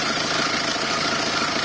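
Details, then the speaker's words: Peugeot 306 2.0 HDI diesel idling after alternator belt tensioner replacement: even, steady clatter with no squeal or chirp from the belt drive, loud tensioner noise gone. "first thing to note there's no noise"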